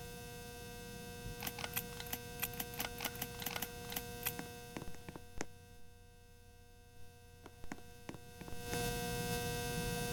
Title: Ceiling Fan loud Noise